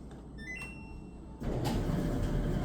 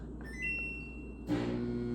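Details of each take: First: Samsung DV431AEP/XAA dryer after replacing bad motor: quiet room then sudden steady rushing drone as motor kicks right on and runs evenly; normal running. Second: Samsung DV431AEP/XAA 240 V dryer: start beeps then steady low electrical hum, motor not engaging to turn fan, no spin-up; motor stalled, later found bad with broken spring latch, replaced.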